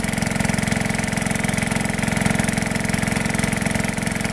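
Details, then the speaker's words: Small single-cylinder petrol engine on a gold dredge pump after jet cleaning: slow, even idle firing about four times a second with steady exhaust beat, throttle at lowest setting; normal idle, lower than before. "Fires pretty damn good. Right there is as slow as I can get it."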